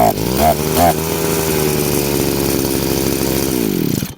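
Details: Chinese two-stroke brushcutter with the carburetor adjustment screw turned half a turn off its good setting: steady, strained high drone that never builds crisply, choking with no power or traction; lean mixture, loss of power.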